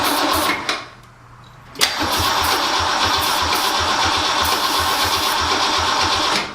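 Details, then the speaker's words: 1966 Continental, garage-stored and unregistered about 9 years, cold start. Cranks, catches with a sharp backfire pop, then runs rough with uneven low thumps. Smoke from the tailpipes, exhaust leak up front; distributor cap and plug wires suspected. "Get it started again. Woo! Backfire. Smoke coming out of the tailpipes though, that's good."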